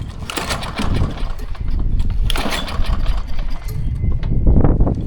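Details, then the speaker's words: Old abandoned Lawn Boy mower with a Kohler 149cc engine, run on a little gas before service: sputters and surges in ragged bursts, never settling, and needs a carburetor rebuild. "She's going to need a carb rebuild. No big deal."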